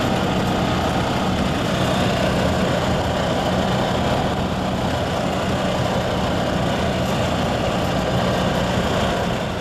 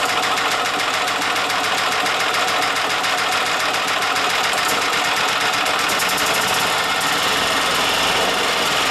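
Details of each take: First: Yamaha G2 golf cart single-cylinder engine after a tune-up (carburetor, air filter, spark plug), started from cold in neutral, the first cold start in 6–7 years: steady, even thrum with no stumbles or misses; normal cold idle. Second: Yamaha G2 golf cart after carburetor, air filter and spark plug tune-up; steady fast starter chatter, about three and a half beats a second, no catch while piston-driven fuel pump primes.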